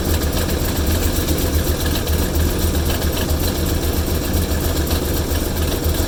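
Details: Engine at rough idle during an oil pressure reading: low, lumpy idle with an uneven pulse around three or four beats a second, no steady rhythm; cause unknown.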